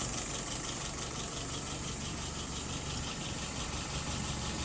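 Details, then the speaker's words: Rebuilt and adjusted WO 636SA carburetor on a 1948 flathead, no leaks: even soft idle about 675-680 rpm with a steady beat, no ticks or misses; fuel pressure a little over 2.5, vacuum 23, dwell about 42; healthy. "Final RPM, about 680. Looking 675, 680, looking good."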